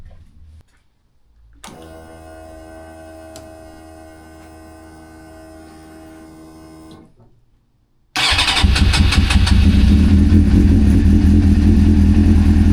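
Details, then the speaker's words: 1999 Suzuki GSXR 600 stored over 20 years, first start after rebuild with choke fully closed: long cranking hum, then the engine catches loud and uneven, hunting before settling; a rough, struggling cold start expected after long storage. "Um, as you can hear, it did struggle a little bit, but it's the first time it's been started in a long time."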